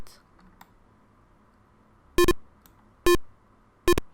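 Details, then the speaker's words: Arduino ultrasonic distance sensor with a buzzer: short sharp beeps about once a second that grow more frantic as the object moves closer, with the distance reading getting nearer the actual value. "As we move closer, you can hear that the buzzer starts to buzz a little bit more frantically, and also the reading happens to get slightly closer to the actual value."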